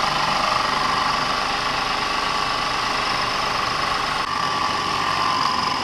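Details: Audi 3.2L FSI V6 first start after upper timing chain tensioner replacement: smooth even idle, steady hum, no ticking or chain rattle from the top; sounds healthy.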